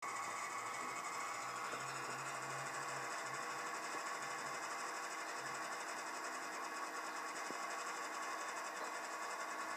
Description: Why is my washing machine making this noise? It does it on and off any cycle.